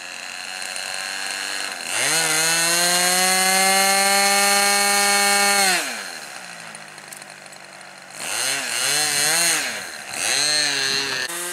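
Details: Small glow engine on an RC model plane after the muffler bolts were Loctited to the block to stop vibration loosening: a steady high-pitched scream, then it drops back and blips up cleanly with no sputter; normal running, though the mixture was later found slightly off.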